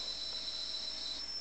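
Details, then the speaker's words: Atari 800XL loading a game from cassette tape after pressing L and play: a steady high-pitched piercing data tone with short gaps; the normal cassette loading tone. "So you see it's running and you hear the annoying sound squeak. If you haven't got a tinnitus before, you may get one."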